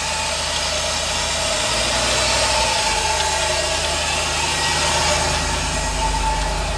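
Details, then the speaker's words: 1988 GM truck with junkyard 6.0 LS V8 and 4L80E, engine also has a misfire; loud rough idle with faint steady chirp and slapping as the serpentine belt rides off its pulley between tensioner and alternator from misalignment. "this just sounds bad see the belt is riding on the back a little bit"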